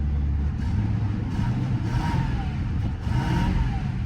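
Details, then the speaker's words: 1993 Ford Crown Victoria, 48,000 miles, at a Copart auction with a suspected oil pressure issue: catches and settles into a deep even idle with a couple of smooth throttle blips, no knocks or misses; runs and sounds good. "Oh, guys, she runs. She runs. And sounds good."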